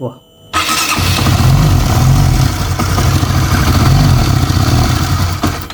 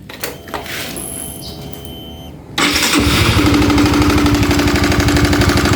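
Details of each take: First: Honda CB150R (about 2016–2017, LED model) after repair for top-end ticking at the camshaft: short crank, then steady idle with busy top-end patter, now smoother than before; normal running. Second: Honda CB150R (2016 or 2017, LED-light model) at idle: engine catches after a quiet start, then a loud, regular ticking/tapping from the head, at the camshaft; very noisy in person.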